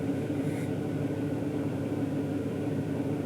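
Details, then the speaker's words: 2001 GMC Sierra 2500HD with stock intake tube, cold day, idling just over 750 rpm, heard inside the cab: smooth, even low hum with no misses or knocks. Normal cold idle. "it's a little cold today i'm idling just a little over about 750 rpm so this is what it sounds like inside"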